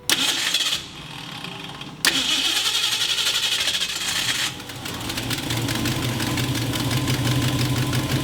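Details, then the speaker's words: 1969 Ford Mustang coupe, after replacing the fuel tank, sending unit and clogged fuel filter and draining old green sediment-laden gas: starter cranks briefly, engine catches cleanly and settles into a steady, even idle; normal start and idle. "and then we've already ran it it's already sat there already idles and to be honest once you got the bad gas out of there it's fine"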